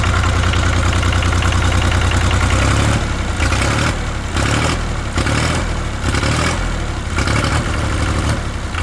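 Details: International 285 4x4 diesel tractor (title says 284), just revived after cylinders were filled with ATF: low clatter swelling and dipping about every second, slightly uneven but running steadily on its own; smoke from burning ATF.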